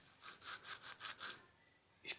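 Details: Brastemp washing machine making noise and leaking water: a rasping, gritty scrape repeats about four times a second as the rotten, worn bearing is rocked by hand.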